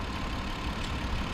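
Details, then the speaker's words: 2008–2009 Hyundai Grandeur TG, about 40,000 km, no accident history, engine idling: soft, steady hum with no knocks, ticks or rattles; engine quieter than expected, normal healthy idle. "연식이 2008년식인데 지금 엔진 소음 들리시나요? 안 들리시죠? 제가 봐도 엔진 상태 정말 조용해요. 제가 생각했던 것보다 조용하고요."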